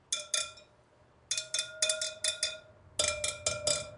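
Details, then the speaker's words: 2023 Triumph Tiger 900 Rally Pro wheel at its 12,000-mile service, spokes tap-tested with a screwdriver; bright metallic pings show one spoke tighter than its neighbour while others ring similar. Tension is slightly uneven. "so this one is tighter than this one okay now these two sound to be very similar to me"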